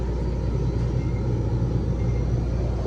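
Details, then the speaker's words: Electro Freeze soft-serve machine with remote condenser, new install, freeze tapped: heavy low drone with rough beating hum from a three-phase compressor phased wrong, beater spinning counterclockwise; fix is reversing any two power legs. "Hang on, tapping it off. You hear that compressor? That is phased wrong, I guarantee you."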